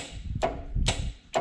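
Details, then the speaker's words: Drag car electrics test: the transbrake relay and line lock solenoid click in with three sharp clicks about half a second apart, wired to the button's normally closed contact; normal engagement. "hear the actual one lock solenoid came in as well so they're fixed onto the important stuff"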